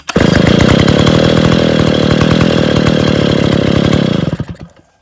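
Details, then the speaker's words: Stihl 070 chainsaw, first start after engine reassembly with crankshaft end play adjusted, before the choke, clutch, cover and bar are finished: strong, even two-stroke howl at steady high revs with crisp firing and no misses, then it shuts off cleanly; running normally. "लीजिए, सज्जनों, यह चालू हो गया, चल गया।"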